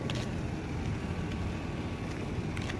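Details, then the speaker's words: Nissan exhaust after cutting the straight pipe and joining it with a Walker band clamp as a temporary fix instead of welding: steady, even low idle rumble with no puffing or ticking at the joint; any leak at the meeting ends is very minimal. "I'll give you guys a walk around of the car, and I'll give you guys an exhaust clip."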